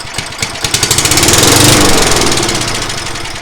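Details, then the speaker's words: Craftsman mower engine on brake cleaner spray, no gas in tank: catches with quick popping that speeds up briefly, then dies within seconds; engine judged basically good. "It runs, guys. It runs. It was only a couple seconds because of the brake clean, but at least we know the engine's pretty good right now."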